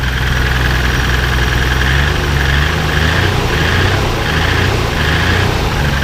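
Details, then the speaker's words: 1996 Nissan Skyline R33 GTR Nismo 400R at a Japanese car auction, non-original engine bay: deep, lumpy idle with uneven pulsing beat and wavering note, likened to a Massey Ferguson tractor; rough running, cause undetermined. "sounds like a Massey Ferguson tractor to me. Anyway, sounds terrible."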